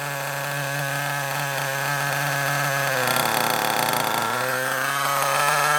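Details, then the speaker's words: Kyosho Mini Inferno ST 09 nitro RC engine, primed with a starter box, buzzes at a fairly low steady idle, briefly revs, then settles; the tick-over is a little too low and gets turned up. "Bit too low. Let's turn it up a little bit. It was a little bit too low."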